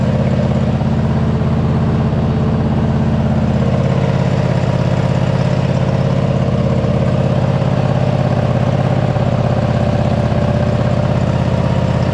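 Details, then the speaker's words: MTD White Outdoors zero-turn mower that sat 3–4 years, run after a hydro linkage adjustment: steady, even engine note with a firm low hum and no knocks or misses; engine sounds healthy; normal running. "so far I'm excited the engine sounds healthy it seems to be running pretty decent our Hydra seem to be good so yeah we're making good progress"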